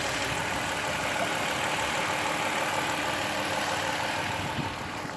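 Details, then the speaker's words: 2005 Dodge Caravan SE wheelchair van with 41k miles, heard under the hood: steady, even idle hum with no squeal or ticking; the engine sounds smooth and healthy. "Okay, under the hood, you can hear it running. No squeals, no ticks."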